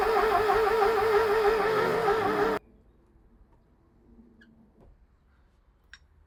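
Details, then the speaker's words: Porsche 924 that sat about 30 years, starter cranking evenly at about three beats a second without catching, spark present; timing belt found slipped significantly off cam timing marks. "all right so it's all of a sudden started blowing air out of the intake manifold instead of sucking it in which I think this um timy BTS probably slipped a tooth"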